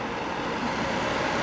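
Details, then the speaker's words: Llano RGB laptop cooler at the 800 setting (RPM, though unsure), heard against speech: a loud, steady rushing whoosh of air with no rhythm or knock. The fans are very noisy even at this low speed. "So once again, 800, I think it's revs per minute. So that's what it sounds like, and against my voice in this position here."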